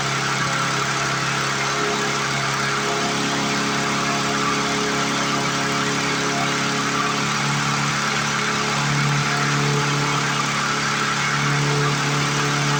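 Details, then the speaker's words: 1997 Lawn Chief push mower after clearing mouse nest and fixing return spring, throttle cable and sticking bail cable: steady, even high drone with no surging; runs higher RPM than it should though governor appears to work, cause unknown. "To my ear, that just sounds like it's running more RPM than it should. But it's not surging anymore, so that's a blessing."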